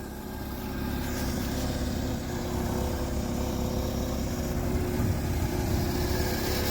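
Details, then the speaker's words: Triumph Spitfire just started cold for first time in 25 years, on choke, after timing correction, carburetor rebuild and new electric fuel pump: steady, even low rumble, no misses or knocks, settling into smooth cold idle, smoky exhaust. "There it is. Took a little bit of love, but it started right up."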